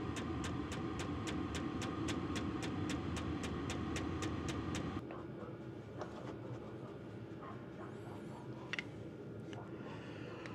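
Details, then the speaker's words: Budget portable diesel heater installed in an RV, heard from the side: steady fuel-pump ticking about four clicks a second over a soft fan rush, tick dies down; starting and running normally, good heat output. "so actually on the side it's very quiet you can hear a bit of a tick but it does uh die down but that's putting out a nice stream of heat"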